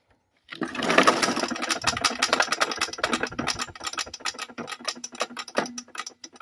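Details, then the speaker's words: Modified old Swamp Rat 2000 riding lawnmower with lifted front, reported oil leak, run one last time: small engine fires in ragged, uneven spurts, surging and stumbling, popping and farting, running very rough; cause not confirmed. "again [ __ ] hurt oh look [Laughter] this drive actually yeah it's popping and farting oh [Music] okay that's enough let it die in peace"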